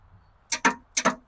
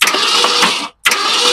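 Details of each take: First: Long-abandoned 1966 Ford Ranch Wagon ambulance, revival attempt: sharp paired clicks with no cranking, starter solenoid clicking but starter not turning; Bendix not engaging or seized suspected, not confirmed. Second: Long-abandoned 1966 Ford Ranch Wagon ambulance conversion, engine previously stuck: two even bursts of starter cranking, smooth and quick with no binding, as the engine is bumped; it now spins freely.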